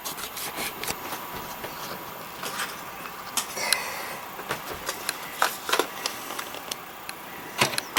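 A quiet, steady high squeak runs through the print cycle with light clicks and rubbing; the feed mechanism is squeaking.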